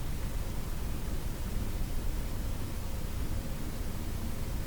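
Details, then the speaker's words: Addison 5A tube radio on the broadcast band, volume from half to full: only a faint steady hiss; the set receives but output is very weak, suspected weak tube. "it sounds like it's receiving sounds like it's receiving okay but uh it just has no volume in the output"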